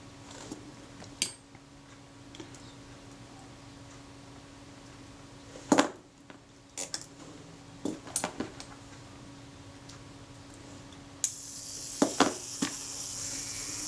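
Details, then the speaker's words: Kodak Retinette IIB camera during servicing: steady even buzz from the self-timer escapement for about ten seconds before the final click; self-timer running down properly. "Yeah, it's running down. It's good. That That That sounds very good."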